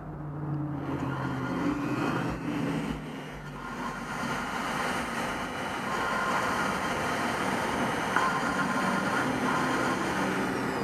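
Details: Valve grinding at home with drill, vacuum hose and lapping compound, held close to mic: steady gritty hiss and grind as the valve spins against its seat; listen for a pitch change, then wipe and reapply.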